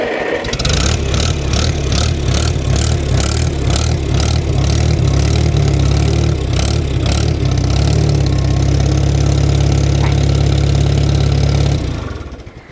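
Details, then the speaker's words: Antique used tractor on an inspection test start, no choke needed once running: catches quickly and settles into an even, steady beat, brief gallop that went away, no smoke; runs well, just needs slight adjustment. "one runs good I didn't see smoke you did hear a little bit of a gallop but that went away it just needs a little fine-tuning on the adjustment there"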